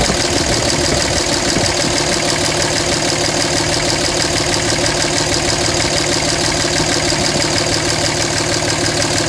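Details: 2007 Dodge Ram 5.9 Cummins diesel idle with uneven loping beat about three pulses a second, never smooth; rough idle began a month ago. Intermittent fuel rail pressure sensor, MAP sensor and overboost codes (no boost fooler fitted); owner asks about blow-by.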